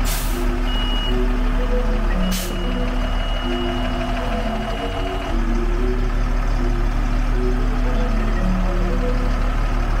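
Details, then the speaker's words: Military army truck that hadn't run in four years, diesel idling: steady high beep of the air brake low-pressure alarm because the system hasn't built air pressure; no brakes. "Le bip est l'alarme du système de freinage pneumatique. Et finalement, l'air atteindra la pression et s'arrêtera."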